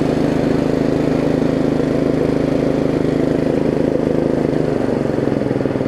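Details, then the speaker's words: Yard Machines riding mower with the deck reinstalled: a steady small-engine drone, and the blades keep turning after disengaging. The tensioner pulley's return spring is too weak to pull it back all the way, so the blades won't disengage. "ah as you can hear the blades are still turning unfortunately so i can't get that tensioner pulley right for some reason i can't get that return spring to work despite it's like it just doesn't want to bring it back all the way"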